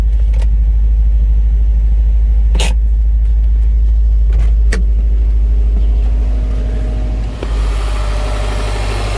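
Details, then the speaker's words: Salvage 2011 Subaru STI, 170,000 km, engine rebuilt about 20,000 km ago after a spun bearing; engine catches and settles into steady even idle, smooth low rumble, no knocks or ticks; healthy. "nothing has exploded yet. That's a good sign. No weird smells. No weird sounds."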